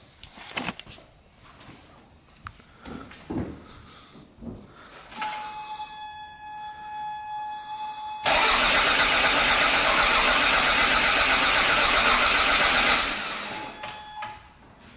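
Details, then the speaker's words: Toyota MR2 just fitted with a new in-tank fuel pump, on jack stands: starter spins evenly about five seconds but never fires; crank no start because the new fuel pump was left unplugged. "okay so i forgot to plug in the fuel pump um so let's try again"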